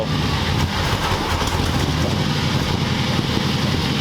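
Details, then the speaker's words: 1940 Ford convertible V8 being made roadworthy, at idle: a steady low rumble with a slightly uneven pulse. This is a rough idle; the carburetor is suspected to need adjustment. "I think that carburetor needs some help."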